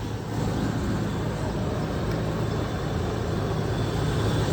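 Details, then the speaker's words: 1996 Land Rover Discovery 1 V8, 5-speed manual, just arrived, recorded under the open bonnet: deep even rumble, no knocks, ticks or misses, runs smooth, no visible leaks; healthy idle. "Sounds like it runs great. Pretty smooth, no visible leaks."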